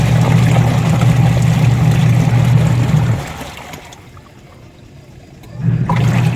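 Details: Newly installed replacement 150 W washing machine wash motor (10 µF capacitor), replacing a noisy old one, tested with water: deep steady hum about three seconds, pauses, restarts smoothly, no grinding or rattle; wash motor working normally.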